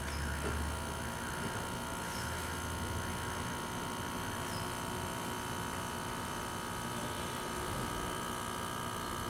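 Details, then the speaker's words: Air conditioner condensate pump, replacement unit running with water-filled reservoir; quieter than the previous modified pump: low even electric hum, faint steady buzz, no knocking. Normal pump running. "me pueden escuchar el ruido realmente es menor que con la otra bomba aún con la reforma que se le hizo"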